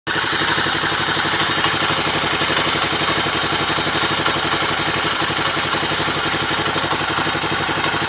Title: Tornado ruido en el motor al final era la canasta de embrague!!!